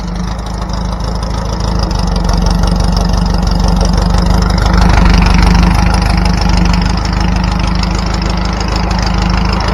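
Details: Trike engine just after a new fuel line and throttle cable system were fitted, with no fuel leak: steady, deep, even idle with a firm low thump, no misses, surging or knocks; normal idle.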